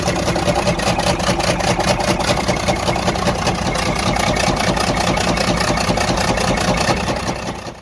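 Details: Freightliner Cascadia DD15 diesel idling with a steady hard knock about 2.5 per second; suspected major internal damage, engine considered gone and needing repair/overhaul.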